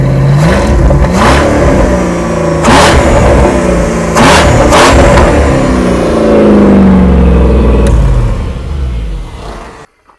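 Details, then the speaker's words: Toyota Cressida, first run in two years with headers and a Y-pipe, open exhaust, paint and putty smoking off the pipes: loud, raw open-pipe roar with revs rising and falling cleanly, no knocks or misses; running well. "that sounds awesome don't worry about the smoke that's just all the paint and the putty coming off"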